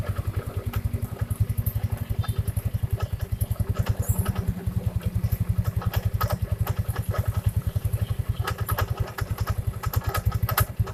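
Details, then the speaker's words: First-generation Yamaha Mio scooter: steady single-cylinder idle with irregular sharp ticks and scraping clatter from the CVT side after a few seconds; noise vanishes with CVT cover open, something rubbing at the front suspected. "Pertama dihidupkan halo, tapi beberapa detik kemudian bunyinya kayak gini. Kita cari tahu sumber masalahnya ya."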